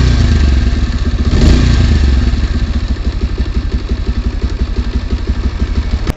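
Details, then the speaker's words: 150cc motorcycle after fixing kit-kat chain noise: steady single-cylinder thump about four pulses a second, no rattle or slap from the chain; chain drive running quietly. "यहां पर मेरा problem solve हो गया gas को भी problem नहीं पाई थी जितनी प्रॉब्लम यह सब मौत हो गई थी अ देख सकते चैन से कोई प्रॉब्लम नहीं है"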